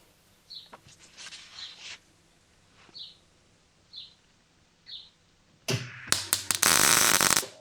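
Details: MIG welding during a welding lesson. A few quiet taps, then a steady, even crackle like frying bacon for about two seconds; a consistent, good bead.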